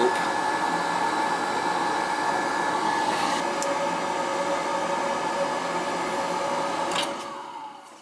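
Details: Riello oil burner on an NTI boiler, annual service, running: steady even roar of burner fan and flame, constant tone, no pulsing or rumble; firing cleanly and running well.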